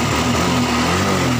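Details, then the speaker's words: Honda Revo fuel-injected motorcycle that would not start, parked two months, battery about 11 V; after cleaning the dirty fuel pump filter (new spark plug hadn't helped) it runs with a steady, smooth even hum, no missed beats; normal running. "setelah kita starter kita ingin menghidupkan kontak dan menghidupkan motor ternyata berhasil ya guys"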